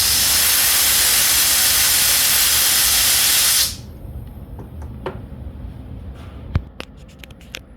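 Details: Known-good fuel injector from a GMC 6-cylinder bench-tested with carb cleaner and compressed air: loud steady hiss for about three and a half seconds as it is opened and sprays cleanly, then quiet drips; normal spray pattern.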